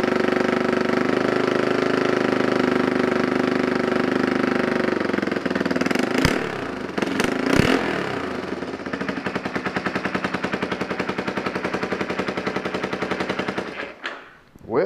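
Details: Yamaha Warrior 350 single, first start after sitting years, new aftermarket carburetor, gas bottle feed: fast, uneven popping idle then sharp blips; exhaust sounds rough and leaky and needs fixing. Running after first start.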